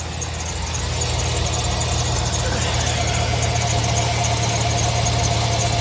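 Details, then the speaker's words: 2005 Chevrolet Silverado idling at startup before belt replacement: thin, steady squeal riding over the engine from the accessory drive; old serpentine belt found cracked, fixed by new belt, pulley and tensioner, after which the squeak stopped. "Start it up. Let's see if she still squeaks and if the belt's on correctly."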